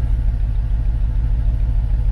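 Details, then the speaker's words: Mercedes CLK 55 AMG V8 taken out of a barn, idling with smoke and smell before shutdown: lumpy, uneven low rumble with irregular pulse; rough running from blown head gasket, car completely undrivable. "donc bon je vais aller la couper ça sert à rien de la laisser tourner de toute façon comme ça et elle est inroulable elle est complètement inroulable parce que le fait qu'elle un joint de culasse"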